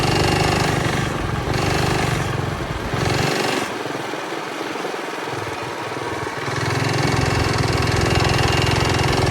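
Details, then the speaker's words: Early-1970s Pacesetter Trailbuck mini bike on a test ride after fitting a new torque converter not set up for jack-shaft use; engine revs up and holds high, then sags and surges without gaining speed. Torque converter slipping. "Okay, I got back from the ride and it didn't go very well. It wouldn't climb up to speed and it wouldn't accelerate well, and it's doing pretty much the same thing as it did before."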